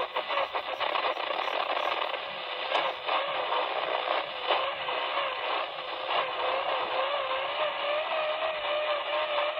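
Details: Icom IC-7000 transceiver, January 2017: constant hiss with a warbling, motor-like tone drifting up and down in pitch across the whole upper HF band, S-meter at 20 over, started a week earlier; pulsating interference, owner suspects a neighbour's treadmill or motor.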